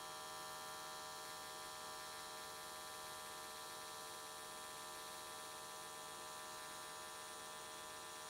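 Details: AC TIG welding aluminium S13 catch cans, vertical welds, after switching to square wave: steady, even electric buzz with no crackle or wander, arc burning smoothly and definitely more stable than before.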